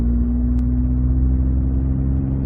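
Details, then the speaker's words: 2013 Ford F-150 on test drive after all six aftermarket coils replaced with Ford coils: smooth even low drone under load, no stumble or misfire, power back. "All right, I have all 6 coils replaced with Ford ones. Going on a little test drive here. Power is definitely back."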